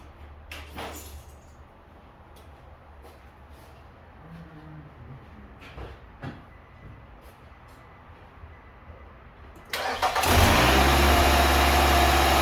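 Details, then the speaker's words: Nissan Altima after replacing the spark plugs and camshaft sensor: the engine catches at once and settles into a smooth, even idle with no stumble, running much smoother than when it arrived; normal idle. "Everything look good. It's running. It's a lot smooth than when it came."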